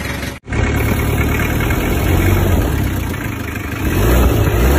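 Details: Mitsubishi L300 diesel just rebuilt (new liners, pistons, rings, bearings, crank machined, gasket set, clutch lining, oil and fuel filter), run-in idling: steady deep chug about four beats a second, no knocks; slight residual exhaust/air-filter puffing noted. Normal.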